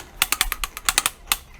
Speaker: should hear this noise so this one's still free but we'll clean it out while we're here